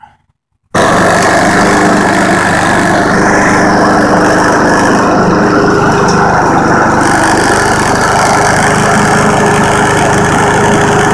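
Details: Husqvarna push mower, cold start after sitting most of summer and fall with oil and fuel checked: hard pulls, then it catches, smokes about 20 seconds and settles into a steady, even drone with no stumbling after throttle adjustment; normal running.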